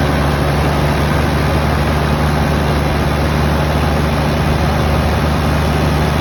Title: 1HZ power loss/rough idle